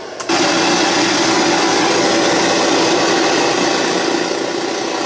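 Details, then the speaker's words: Sony EVS-7000 Hi8 VCR after take-up hub repair and alignment that restored PCM sound. AFM hi-fi track plays with loud, steady hiss burying the audio; the AFM sound fault is still unrepaired and its cause unknown. "let's go to the afm well the afm track still has a problem so the alignment was causing the pcm soundtrack to cut out and switch over to afm but as you can hear"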